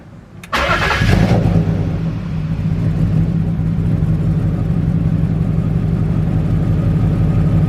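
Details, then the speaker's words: BMW E34 wagon after O2 sensor replacement: short crank, catches quickly and settles into a steady, even idle with no misfire; smooth, though an exhaust leak underneath colours the sound. "No misfire. Give it a little gas. Seems smooth."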